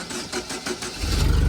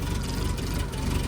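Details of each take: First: 2010 Doosan propane forklift after replacing the vaporizer/regulator: couple of cranking beats, fires immediately and holds a steady, even idle, no longer nearly dying at start. Normal quick start. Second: 2010 Doosan propane forklift, 3,353 hours, with surging and slow starting: low, uneven idle and whole engine shaking as the vaporizer/regulator bottom screw is turned slowly; owner suspects fuel mixture. Rough running.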